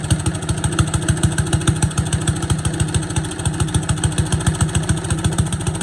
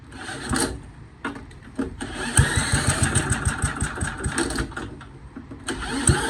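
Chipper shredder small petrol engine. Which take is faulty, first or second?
second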